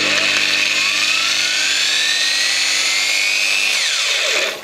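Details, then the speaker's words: Variable-speed angle grinder just regreased, with the gear meshed by hand, on test run: a smooth high whine climbs with the trigger, holds steady, then winds down with no clunks; noticeably quieter than before, normal running. "in this case it's a variable speed model that's not instantaneous start like a normal grinder say much quieter now"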